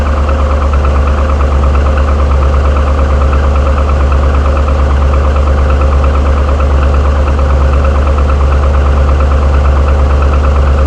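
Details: 2007 Trailblazer SS with 6.0 LS2 V8 at idle: deep steady rumble with a faint, fairly regular knock, suspected to be GM piston slap, which the manufacturer calls normal; cause not confirmed.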